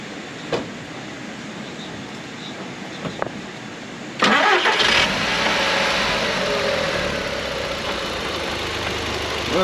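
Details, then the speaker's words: Car with many dash warning lights, leaks and a new manifold pipe, brought in for an oil change: after a brief crank it runs with an uneven, lumpy, shaky idle. It is misfiring; cause not diagnosed. "mention this car got a little wiggle in it and it sounds like there's an animal trying to get out"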